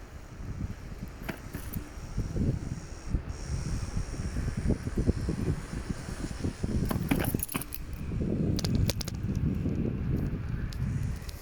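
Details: Kukirin G3 Pro rear brake: loose metallic jangling and clatter in uneven bursts over a low rolling rumble. Cause unclear.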